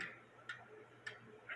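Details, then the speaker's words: American Cuckoo Clock Co. antique cuckoo movement on a test stand with lighter weights: crisp, evenly spaced ticks about every half second, going train running normally; cuckoo side not working, suspected too-thick 8-day chain, correct chain to be ordered. "but like I said it is ticking away and um I'm gonna have to order a chain port"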